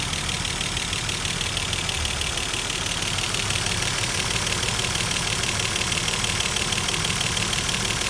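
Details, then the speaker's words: Mercedes W124 boxer engine after cylinder head refit, a while after first start; fast, light ticking of about three per second over a steady idle fades as the hydraulic adjusters fill with oil, and the white exhaust smoke is gone. "Setelah beberapa saat kemudian, mesin yang tadinya terdengar kasar perlahan-lahan mulai terdengar berkurang. Itu dikarenakan adjusternya sudah mulai terisi dengan oli."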